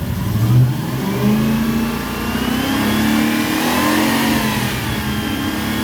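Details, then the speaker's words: Toyota Celsior / Lexus LS400 1UZ V8 with fouled plugs, long unused and running poorly: revs climb and hang unevenly, tone wavering rather than rising cleanly; still not running right, and a 20 V supply to the AFM was found. "Got to remember it's got foul plugs, it's been running terribly."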